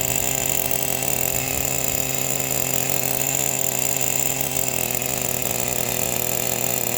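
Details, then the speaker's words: Brand-new Traxxas Pro 15 nitro engine with new bearings and an OS LC3 glow plug, in an RC10GT about 10 minutes into first-start break-in, idle set high: fast, steady buzzing idle with no stumbling or dying off. Healthy running. "Listen to me babble on and listen to this thing idle. What a sweetheart. What a nice little motor."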